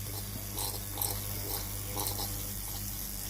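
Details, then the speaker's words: Tefal GV8950M0/23 steam iron with no steam output, cooled and opened, pump hose dipped in water: low even hum with light ticking about twice a second, pump runs but delivers nothing. "La pompe à eau ne fonctionne pas."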